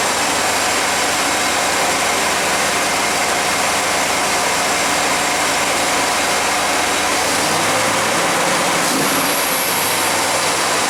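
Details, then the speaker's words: 1991 GMC Jimmy, just started: loud steady fast idle that later came down; ran rough, stalled when hot; owner suspects vacuum leak, none found spraying brake cleaner. "Started the video, started the truck. Actually let it sit for a little bit, and it idled kind of high, but it did come down."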